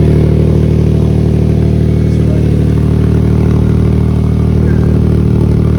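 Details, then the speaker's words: Nissan at idle with a small exhaust leak, before a DIY bandage-and-tape repair: a loud, raspy, straight-pipe-like idle with quick steady puffing, about four beats a second, riding on the engine note. "so this car is is keeps keeps wanted to be loud so it keep straight piping itself this is what it sounds like right [Music] now small exhaust lead"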